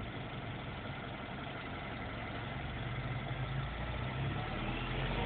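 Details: MINI Cooper S with under 2k miles at idle: a faint constant whine over the engine note, not changing over time; source unclear.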